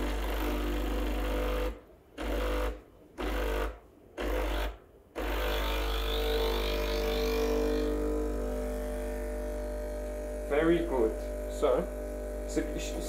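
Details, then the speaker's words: Breville Barista Express BES860 pulling a double shot, pressure gauge around 11 to 1 o'clock, about 38 g output: steady buzzing pump tone, briefly interrupted early, holding even under pressure; normal espresso pump operation. "make sure you get around maybe 12 o'clock one o'clock you know 11 o'clock to 1 o'clock in the upper range that's when you're going to get the best taste and the best crema and the best flavors"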